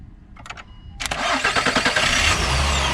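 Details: Jump-started with a Hulkman Alpha85S jump starter after the Optima Yellow Top AGM battery went dead: a short crank, then the engine catches within a second and settles to a smooth, even idle. Normal start.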